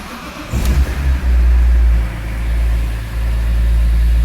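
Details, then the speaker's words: 2002 BMW E46 M3 drift car, almost 200,000 km, completely cold, after replacing both TPS sensors that caused the EML light and power loss: short crank, catches at once and runs strong and even; normal cold start. "Starts right up, no problem. And close it up. There's no problems at all, and it runs really smooth."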